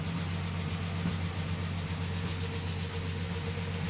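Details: Rolls-Royce Phantom III V12 imported from Japan, just started after months of restoration: smooth deep idle with light, quick ticking on top; tappet noise, still work to do.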